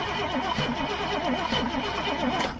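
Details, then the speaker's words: Old gasoline GMC bucket truck with a Holley carburetor: the starter cranks at about four to five pulses a second, no start. Gas reaches the carb but none flows inside it; stuck floats or metering valves suspected. "Alright, I'm gonna show y'all the inside of the carb when he actually turns it over, and you don't see any fuel coming down into that. So, alright, go ahead, try it again. See, there's no fuel."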